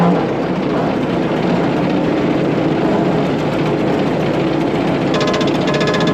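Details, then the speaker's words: About 100-year-old Caterpillar grader, after fitting a $55 part, driving out across the property. Old engine chugs steadily uphill through a gear change with no popping or backfiring, where before it struggled. Running properly under load. "all right super excited right now this is hands down the best of Greater has run since we've had it we're driving out towards the front of the property right now she's just chugging along she's not backfiring she's not popping things are just great right now"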